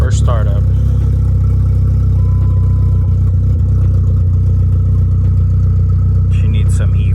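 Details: Neon SRT-4 with big turbo, running for the first time after fuel pump wiring, immobilizer fix and fuel tank install: steady, even idle with a deep, unbroken note, no knocks or misses; engine runs cleanly and sounds healthy.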